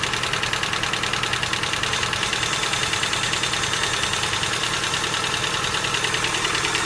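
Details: Engine idling with a quick, even light ticking of about three clicks a second above the engine note, from noisy hydraulic lifters.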